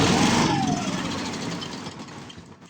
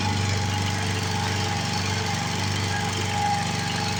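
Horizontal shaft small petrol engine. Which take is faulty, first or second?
first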